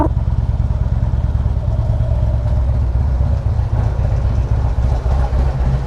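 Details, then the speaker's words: 2016 Harley-Davidson Limited V-twin lugging in about second gear uphill: deep lumpy engine under load with a loose irregular clatter at low end; typical compensator rattle, considered normal. "The only thing weird is that typical compensator rattle. That's normal. Yeah, absolutely normal."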